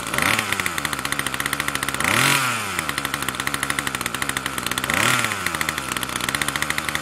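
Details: Troy-Bilt TB2MB two-stroke after a new short block is fitted, primed and choke on: buzz hangs at a high idle and surges up twice instead of settling; the throttle cable never returns fully.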